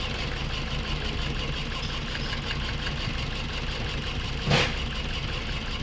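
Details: Toyota Altis with new ignition coils and spark plugs but still strong vibration and misfire, no check-engine light: lumpy uneven idle with irregular stumble under a steady drone; one cylinder dead, matching no compression from a leaking valve.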